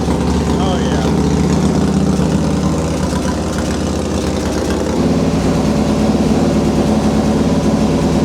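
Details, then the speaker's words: Harley-Davidson Fatboy V-twin rebuilt after a wreck, first start after fitting replacement tank, easy starting. Steady even idle lope, firm regular beat, no knocks or misses; owner suspects compression near 10.5:1; normal healthy idle. "There it is. It's back. Yeah, that sounds great. Freaking bike is so good, man."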